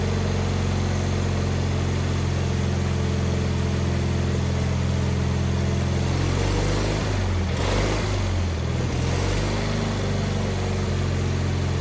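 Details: Wheel Horse 520H garden tractor pulled from a tree row, running on fresh gas from a can: small engine settles into a steady low drone, sags briefly mid-run then picks back up and holds; normal running.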